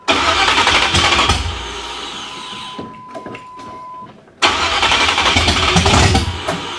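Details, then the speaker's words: 1987 Chevrolet Monte Carlo SS, fresh 383 stroker V8 with open headers on first start: fires uneven and lumpy, stumbles near stop, catches rough, possibly misfiring; suspected plug wires off, maybe choke, unconfirmed. "It doesn't sound like it's firing at all. Oh! I think we got some plug wires off. You think? I don't think it's supposed to run that nasty."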